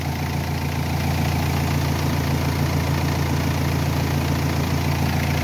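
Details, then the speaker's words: Renault Espace III 2.2L idling with the battery disconnected, alternator alone holding 14 volts; removing plus or minus makes no difference: smooth, steady idle with an even low rumble, no misses or knocks. The engine keeps running, so the alternator is good. "Vous voyez, donc j'ai enlevé là le plus, c'est pareil, le moteur continue à tourner. Donc enlever le plus ou le moins, ça change rien."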